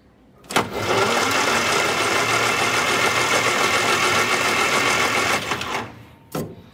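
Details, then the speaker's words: 1962 Austin-Healey Sprite Mk II after long storage, cylinders oiled, cranked via starter solenoid on a jump pack: even, brisk cranking about four turns a second for five seconds, no drag or knock; turns over freely. "turns over quite nicely so i think if we have spark this engine will definitely run"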